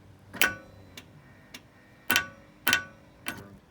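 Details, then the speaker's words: Ferrari 360 F1 gearbox, listened to from under the car: sharp clicks about every 0.6 seconds with F1 pump running as actuator tries but fails to select any gear; cause still under investigation. "it's trying to do something, but it is just not selecting any gears."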